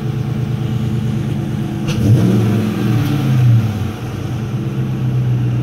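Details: 2016 Dodge Charger R/T V8, 13k miles, with settled-in Gibson exhaust, drive-by: deep hollow burble swelling cleanly as it revs and passes, no rattles or misses; normal exhaust note.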